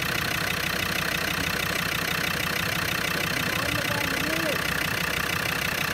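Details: Land Rover Discovery Series 2 TD5 diesel, after repairing a crank-no-start: steady, even diesel clatter with no knocks or misses, engine starting and running healthily.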